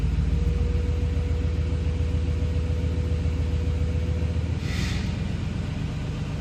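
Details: 2009+ Ford F-150 (any engine), in gear against the brake simulating slow acceleration: low droning rumble with a rapid, regular buzzing rattle; common loose exhaust heat shield rattle, fixed with a hose clamp.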